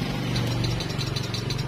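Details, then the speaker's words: Yamaha Mio J scooter, starter button pressed: rapid dry clicking, no spin from starter motor. "bisa kita tekan tombol shutter ini hanya terdengar suara serta kethek dari sweaternya dari untuk kemungkinan ini dinamonya nggak muter"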